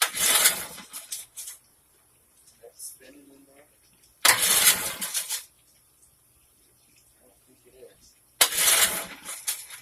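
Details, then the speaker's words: Early-1950s Goodyear Sea Bee 5 outboard boat motor, first run in many years with fresh fuel and the fuel cap open: three pull-cord rasps about four seconds apart with no firing. It cranks but won't start, and gas is smelled. "all right didn't start i do smell a little bit of gas"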